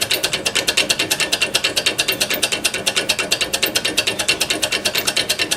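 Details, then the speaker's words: RACO mechanical crossing bell whose hammer is dented from striking: rapid, sharp, even clicking several times a second with no ringing tone. The damaged hammer is not ringing the bell properly. "there's the hammer mechanism just trying to ring that's why you hear that's why it clicks is that this one the hammer is damaged"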